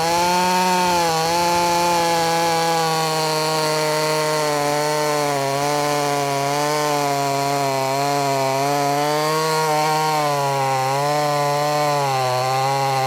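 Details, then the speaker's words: Brand new, unbroken-in Wemars 6220 clone chainsaw, tuned leaner from rich factory setting: loud high clean buzz at strong revs, dipping slightly and recovering as chain bites wood; normal healthy cutting under load. "It sounds good. It also sounds loud. And I guess what I mean by it sounds good, it sounds like it's going to be powerful. Rev's good."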